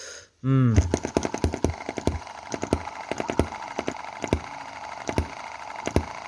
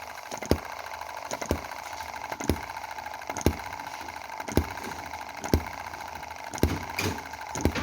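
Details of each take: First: Chinese M19/EM2 hit-and-miss gasoline model engine, cam timing advanced one tooth: uneven popping beat with fewer skipped firings than before, possibly less power; misfire reduced, may need another tooth of advance. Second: M19/EM2 Chinese model hit-and-miss gasoline engine after cleaning the carb and spark plug and moving valve timing one cog tooth: sharp firing pops about once a second with coasting gaps; powerful firing with only occasional misfire.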